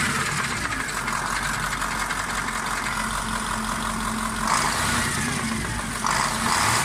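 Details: KamAZ 740.13 diesel, knock near cylinder 8, fading but not vanishing when its injector line is loosened; scored cylinder 8 liner found with pan off: running with dull uneven knock about three times a second over clatter; piston knock.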